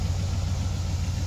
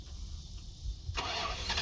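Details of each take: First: 1990 Dodge Ramcharger 2WD pulled from a junkyard tree line after sitting since about 2014, new battery fitted: steady, even low V8 rumble with no misses, knocks or surges. Normal, smooth idle. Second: 1990 Dodge Ramcharger 2WD, sat in a junkyard since about 2014, new battery, after a small engine fire: starter cranks at a steady fast rhythm in bursts, never catches; owner suspects no fuel from the fuel pump and bad old gas.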